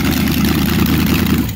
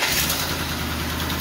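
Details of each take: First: 400ci small-block Chevy V8, auction find, good oil pressure and timing set: deep, even rumble running steady for about a second, then cutting off, no knocks; normal running. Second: 400ci small-block Chevy auction find, started on jumper cables: V8 catching and idling rough with light rapid ticking over the exhaust note; judged to need a timing chain badly.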